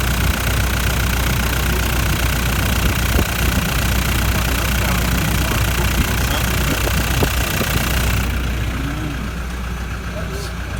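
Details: 2011 Toyota Land Cruiser Prado LC150 diesel, 300,000+ km, day after DIY injector replacement: heavy clatter with uneven lumpy beat and irregular knocks, like a cylinder missing, smoky tailpipe; cracked piston suspected, not confirmed.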